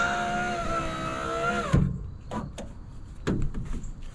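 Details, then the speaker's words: 2004 Ford F-150, driver's door window after motor/regulator repair: smooth steady motor whine for about a second and a half, then a clean stop thump as the window goes down and up; working normally. "all right [Music] we have a window that goes down and up"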